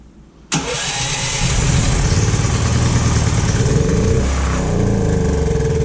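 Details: Predator 9000 generator engine after replacing a bent valve and pushrod, choke on, first start after reassembly: catches instantly after a short crank, then settles into a steady, even run with no knocking or tapping; repair successful.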